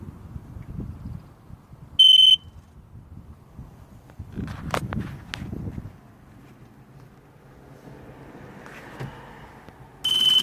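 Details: 2003 Sea-Doo GTI LE RFI: with the key on the DESS post, two short high beeps about eight seconds apart and no cranking. Won't start.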